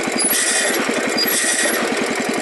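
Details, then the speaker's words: Wheel Horse garden tractor, coasting downhill on a trail with clutch pushed in: loud rapid flapping and scraping chatter over the engine, drive belt slapping and rubbing against its cover rather than transmission failure. "i was just driving on the trail coming downhill i pushed the clutch in so it go a little faster and then this started happening [Music] oh that sounds so terrible hoping that's just the belt"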